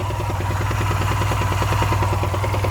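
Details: Honda Silver Wing 600 scooter, slightly warmed up at idle: a steady, quick metallic bottom-end knock. The auction sheet noted variator noise, but the noise is unchanged with the variator removed. Suspected connecting-rod or main bearings, not confirmed.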